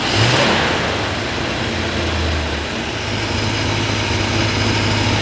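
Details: 1966 Chrysler V8, just reassembled and first started with the distributor vacuum line unplugged, holds a steady, even idle with a low smooth rumble and no hunting or stumbling; vacuum 16–17 inHg; normal idle.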